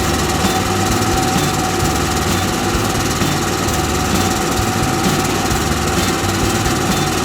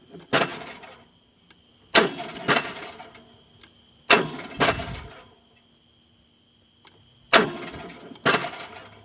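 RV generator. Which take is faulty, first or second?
second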